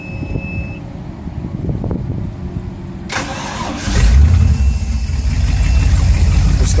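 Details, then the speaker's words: 1995 Formula 419 boat with triple 502 engines, in the water, each motor started one at a time: quiet pause, then catches into deep, even, steady rumble, no misses or knocks; normal engine start. "start each motor one at a time so you can hear it. Nothing like having three 502's. See, it still sounds good, but it's not overpowering."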